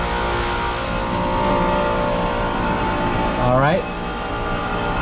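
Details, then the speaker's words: Multistack modular chiller after brazing a broken copper pipe leak on a circuit found at 0 PSIG and recharging to 12 lb: steady compressor hum, smooth drone, brief rising sweep; no leaks, running normally. "we got no leaks got the system running and that's about it"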